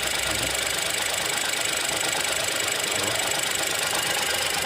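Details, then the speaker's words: 2021 Geely Coolray petrol engine idling with shaking and irregular stumbling; it tends to die when revs drop; scanner shows random multiple-cylinder misfire, cylinder 2 current; traced to faulty injector and spark plug. "nanginginig ating engine sa g r problema ito palyado palyado guys"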